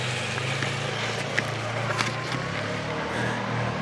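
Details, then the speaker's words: Polaris 425 four-wheeler, not run in 3 years, after replacing fuel hoses: low, steady single-cylinder putter at even idle under background voices and outdoor noise; normal running. "all right there we go it's running make see if it makes it out of the driveway"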